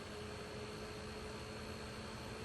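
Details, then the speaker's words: Heraeus Fresco Thermo centrifuge, previously giving E-29 error and a stuck rotor, now freed by force and run at lowest speed: steady low hum with faint even whine, no knocks or scraping; normal centrifuge run. "We'll spin it at the lowest speed for like 30 seconds. Hang on. There we go. It works."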